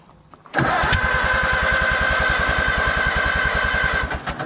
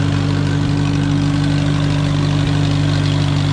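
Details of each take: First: Allis-Chalmers WD tractor, first start attempt in 25 years after engine rebuild and carburetor overhaul, ether tried: two bursts of steady cranking that never fire; owner suspects no compression or spark, number 2 plug later found clean, no fuel smell. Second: Allis-Chalmers WD tractor running for the first time in 25 years. A steady, even low thrum at a relaxed idle with no knocks or misses, like a sewing machine. Normal idle.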